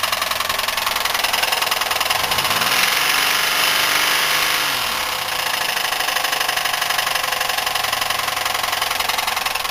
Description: Buick 3800 with rod knock. The problem is on the rod end with the wrist pin and piston.